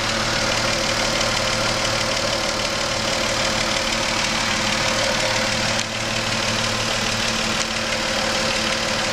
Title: Engine knocking and a hissing sound